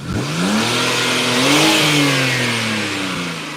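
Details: BMW 325xi straight-six after the 330xi tune, revved while the aftermarket DISA flaps open. A smooth rev that climbs and falls cleanly with no stumble or rattle, and a healthy intake sound. Normal revving.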